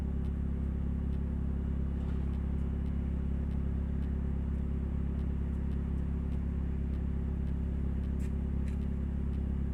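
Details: 2000 Nissan Altima, an old car owned since 2010, while driving. A deep, heavy droning rumble far too loud for a small car, from a leaking exhaust flex pipe, before repair.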